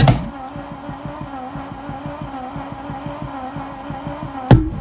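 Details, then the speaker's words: 1966 Mercedes-Benz 230S, sat 20–30 years, first attempts to run: uneven whop-whop pulsing, about four lumpy beats a second at rough idle. Ignition timing is thought too advanced, and two plug wires were later found crossed. "And it was also going whop, whop."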